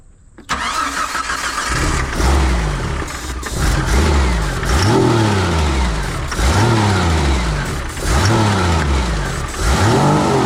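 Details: 1988 Jeep Comanche Chief that sat 10 years, being bottle-fed fuel: slow cranking with surges that catch briefly and die about every two seconds.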